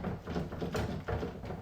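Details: Loose, hollow rattling clatter in quick bursts from a 1979-1993 Fox Body Ford Mustang door as it moves, window glass shaking in its frame; fixed by replacing window guide bushings and weatherstripping.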